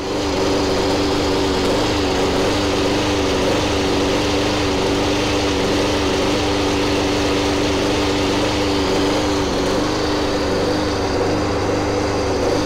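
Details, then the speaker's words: Masport 21" contractor push mower, about six months old, broke down twice (two engine malfunctions): engine runs with uneven wavering note and unsteady firing — rough running; owner notes some say it only needs an adjustment. "the engine is giving me a lot of issues and let's see if I can start it up for you so you can hear this engine"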